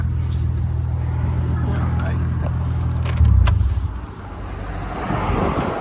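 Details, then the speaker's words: High-mileage Nissan R34 Skyline GTT sedan at idle during inspection: steady even low burble with no misses or hesitations, brief handling bump midway. Muffler and exhaust sound healthy; normal idle. "Hear the muffler. Sounds good. I haven't heard any hesitations in it."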